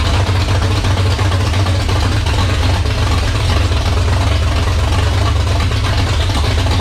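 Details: 1978 Dodge Warlock truck, 360 small-block stroker V8, first start: deep, even rumble, clean revving, no knocks; healthy, 75 psi oil pressure at idle with high-volume oil pump, about 80 psi revving.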